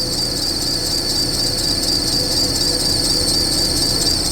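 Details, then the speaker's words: Springfield Coach limo engine cold-started, giving a sharp steady belt squeal over idle that drops about 95% after 10 minutes of warm-up; owner plans to bypass the idler pulley with a different belt, cause not confirmed. "And that noise will actually start to go away as the belt warms up. So, no, we're not sending our stretches out with belts screaming. But after this runs for 10 minutes and heats up, that noise, I'd say it drops by about 95%."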